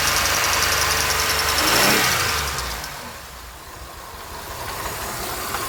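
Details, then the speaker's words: 2007 Pontiac Grand Prix after ICM and harness replacement, AC compressor removed: thin, high squeal rides over the engine as it revs and fades as revs drop; owner suspects the brand-new power steering pump, unconfirmed. "which one of these is squealing like that that's a brand new power steering pump [Music] kind of sounds like it's the power steering pump though"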